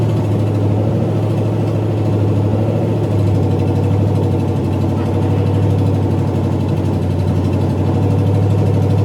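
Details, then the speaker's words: 1985 Ford Mustang GT, factory 5.0 302 V8, likely stock cam, first run in over 20 years; a little smoke from the headers, deep steady rumble, no ticking, knocking or valve train noise: normal running. "That's probably the first time that engine has ran in well over 20 years. Probably so, yeah. Just a little smoke from the Car headers."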